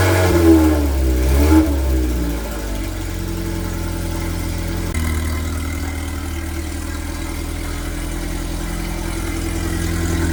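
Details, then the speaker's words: 1981 Fiat X1/9 converted from EFI to dual Weber carburetors, revived after years disassembled, slight fuel rail drip noted; blips up then steady even smooth idle, no knocks or misses; normal idle and revving. "Uh not only does it run, I mean, listen to this. Perfect. It runs great."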